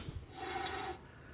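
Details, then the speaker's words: 1964 Dodge D100 Utiline, wheel turned slowly by hand: dry scraping rasp with no rhythm, something rubbing inside the brake; owner unsure if worn pad or something behind the rotor, wheel bearing looks rusty. Cause unconfirmed. "i think that's what i was hearing now where is it coming from it sounds like something is rubbing against that"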